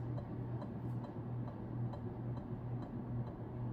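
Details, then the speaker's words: Early-1980s Carroway 52-inch ceiling fan, model EF100, 120 V 60 Hz 0.68 A, newly installed on test: light regular clicks about twice a second over a quiet low hum, likely the canopy rubbing the electrical box. "It's making a little bit of a clicking sound, but I think that's just the canopy rubbing against the electrical box."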